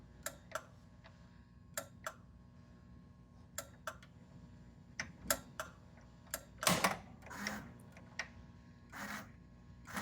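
Crisp, dry clicks at irregular intervals over a faint hum, the relay pulling in on test as it should.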